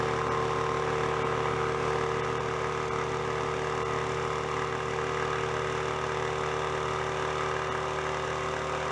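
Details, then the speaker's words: Older air compressor that had a bad rod knock, repaired with spare parts, pumping up (shut off at 120 psi): steady, even pump drone with quick regular beat, no knocking or clatter; sounds good. "Sounds pretty good."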